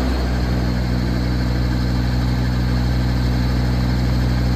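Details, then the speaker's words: Mitsubishi three-cylinder diesel on a 500-litre 4WD power-steering sprayer, pump running unloaded: deep, even idle with a steady pump hum and no knocks, misses or hunting. A healthy engine with no blow-by smoke. "เครื่องยนต์เป็นMitsubishiครับMitsubishi3สูบครับเครื่องดีไม่มีไอไม่มีดันครับ"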